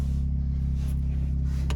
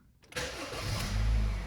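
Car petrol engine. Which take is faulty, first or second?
first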